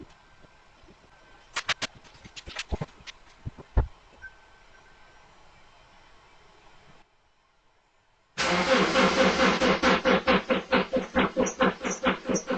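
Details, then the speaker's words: 2009 Subaru Outback at about -5°F morning cold start, recorded from security camera: steady rhythmic cranking around two strokes a second that never fires; long-standing cold-start crank no-start, cause not yet confirmed. "It was cranking pretty good, but it didn't start."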